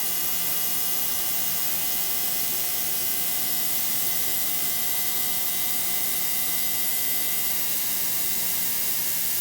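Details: Digital ultrasonic cleaner, heated, on a 60-minute cycle, cleaning a non-running wood mill's carburetor: steady, even high-pitched buzz with a hissy fizz, no dropouts or rattles. Running normally.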